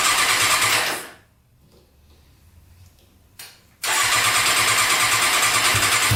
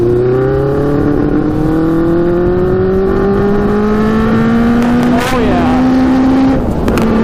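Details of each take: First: Custom Yamaha Banshee quad with swapped Suzuki Katana 600cc engine, Stage 4 jet kit just fitted, cold start: engine fires, revs, cuts out, restarts into high buzzy rev that won't settle; owner suspects sticking throttle, fix by removing carburetors and adjusting throttle. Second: Custom Yamaha Banshee with Suzuki Katana 600cc engine, Stage 4 jets, riding with pod filters removed: loud steady buzz climbing smoothly through each gear without stumbling; pulling cleanly under load, better without pod filters.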